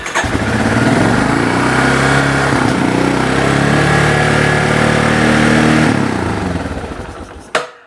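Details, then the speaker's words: 1988 Yamaha Terrapro ATV with PTO and an air-cooled engine, fan belt missing: it catches quickly and holds a fast, busy idle for several seconds, then makes a funny noise on shutdown. It idles too high and needs carburetor adjustment. "so it is hiding a little high it makes a funny noise when it shuts down too"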